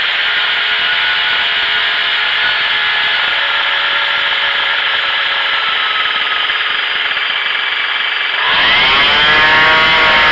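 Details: Craftsman 25cc two-stroke weed trimmer after carburettor adjustment to fix bogging and lack of power: steady high buzz, then it picks up cleanly to full revs near the end; it runs properly.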